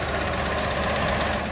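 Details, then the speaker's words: Jeep Liberty V6, hard to start, needing throttle, idling lumpy and barely running on four or five cylinders with a bad loose knocking; owner plans an engine swap; engine knock and misfire. "as you can hear it is knocking it's barely running it's running on four cylinders or five cylinders right now it's a v6 and it is knocking pretty badly"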